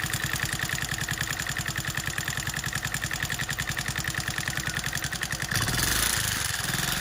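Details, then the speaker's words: TVS XL 100 Heavy Duty engine at idle: sharp regular ticking about three per second keeping pace with the engine; from the rocker, with excessive play at the tappet valve. "तो जो sound है वो उसका rocker का था और उसका जो टपट वाल में ज्यादा प्ले हो चुकी है और वो प्ले की वजह से इसमें साउंड आ रहा है"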